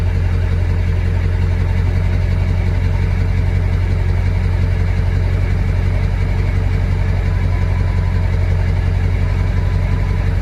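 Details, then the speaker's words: 2000 Ford F350 7.3 Power Stroke diesel, cold start in about 30°F after replacing a faulty glow plug relay that had caused hard starting: starts right up, settles into a steady deep even idle clatter without misfire; starting normally. "I just replaced the glow plug relay. See how it starts now. I was having a lot of trouble starting it. It's cold out."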